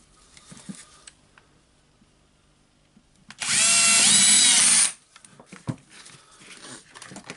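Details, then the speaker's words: Hilti SF4000 corded drywall auto-feed screw gun after HK1312 needle bearing replacement (bit was wobbling and not reaching the front before repair): steady, clean high-pitched motor whine with no rattle or grinding, spins up and runs healthy. "Okay, now we can see that the AC is good, it's moving. Of course, we will test the screwdriver itself. Yep, it's working."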